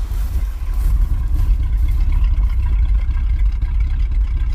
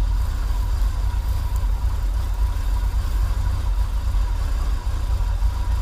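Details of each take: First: 1980s Chevy K30 Custom Deluxe dually 4x4 dump truck, long parked, first start on replacement carburetor of doubtful condition and old fuel; low, slightly uneven idle rumble with irregular pulses; vacuum leaks and fuel leak present, no smoke; rough idle. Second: 1980s Chevy K30 dually 4x4 dump truck, long parked, warming up after cold start on pretty old gas; low steady idle rumble, no misses, ticks or knocks, settling evenly; normal idle.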